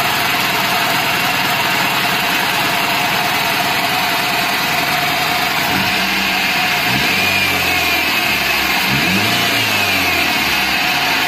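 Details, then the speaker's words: Daihatsu Gran Max minibus, K3-DE 1.3 engine, sent in for being noisy and lacking power, morning cold start: loud hissy clatter from the front over an uneven beat, rough combustion; cause not yet found, valves suspected. "Menakutkan, bukan? Di pagi hari mesin mengalami gangguan pembakaran. Ada suara"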